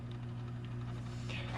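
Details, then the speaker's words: Freshly cleaned canister filter on a 55-gallon fish tank after air purge: steady low motor hum with a faint water trickle, no rattle or gurgle. Normal smooth running. "We'll get a bunch of little straggling, and it introduced a little bit of dirt into the tank, but now we got a clean filter, and she's running and purring like a kitten."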